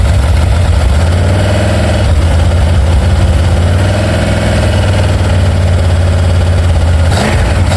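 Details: Ford 289 small-block V8 with C4 transmission, freshly rebuilt and installed in a 1973 Mercury Comet, with H-pipe and mufflers: deep, even idle with a steady low rumble and no knocks or misses; runs smooth, normal idle.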